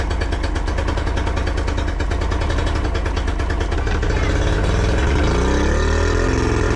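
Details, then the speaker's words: Yamaha 40 hp two-stroke outboard cutting out under load: uneven, stumbling low idle with lumpy firing, blue smoke and unburned fuel in exhaust. "What happens at idle or low speed? The engine runs a little bit rough and has blue smoke and signs of unburned fuel in the exhaust."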